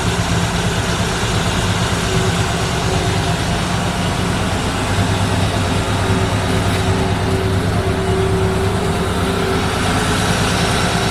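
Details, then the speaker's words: 1964 Ford Fairlane with an old Busch Series race carburetor: loud fast drone held well above normal idle without settling, because the weak throttle return spring won't let the throttle linkage close. "we've had a lot of issues with it so far it won't idle down it's still it's still idling up way too high"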